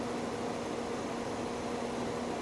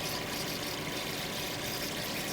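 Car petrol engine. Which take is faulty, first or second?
second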